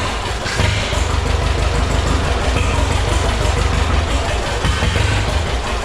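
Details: Heavily modified John Deere A tractor after rebuild, slight throttle: loud steady low chugging with dense exhaust rumble, no knocks or rattles; oil pressure about 18 psi, no oil filter leaks, running normally.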